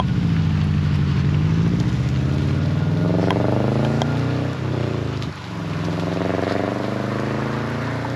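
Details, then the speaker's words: 2005-and-earlier non-turbo dual-port Subaru boxer after installing an unequal-length header: deep, uneven lumpy burble rising and falling smoothly with throttle, no puffing or ticking; previous exhaust leak gone. "So, already, as you can hear, the car definitely sounds a lot better than when we started. Now, we've got that unequal length rumble, and we also don't have an exhaust leak anymore."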